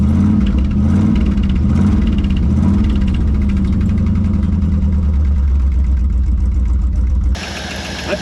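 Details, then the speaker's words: Early-1960s Ford F100 unibody short bed, abandoned in woods 25+ years, first run: loud V8 rumble through open exhaust with light quick tapping at idle; motor sounds good but hydraulic lifters noisy, oil pressure over 60 PSI. "all right motor sounds good lifters are a little on the noisy side great oil pressure though over 60 PSI"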